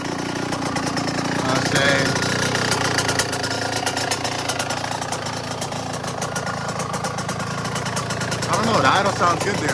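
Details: Yamaha YZ125 two-stroke after top-end rebuild, started in three kicks and warming up; steady crisp buzz holds an even idle without misses or bogging; healthy engine.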